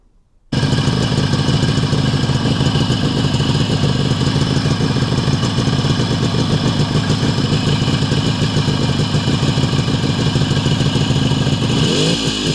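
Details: Adler MB250 two-stroke after dynamo fix, before first road outing in many years: crisp, even idle buzz with no misfire or rattle; charge/ignition light goes out once running, dynamo charging.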